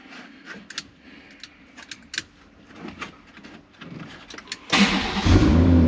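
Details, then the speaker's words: BMW 114i with swapped M140i B58 engine, after adding fuel: clicks, then catches at once into a strong steady run; owner thinks it was simply out of fuel. "come on the b-58 is running and I am happy I've run it for a short period of time just to check it's actually running"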